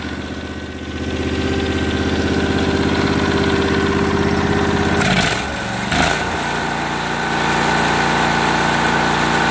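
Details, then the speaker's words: Briggs & Stratton overhead-valve engine on a 450-hour 4016 tractor; steady running that sags and stumbles around five seconds then recovers unevenly, won't take throttle, smoking, backfiring; air filter plugged with oil or debris. "so your tractor won't take any throttle it's smoking it's backfiring the air filters either plug the oil or debris and that's what's going on there"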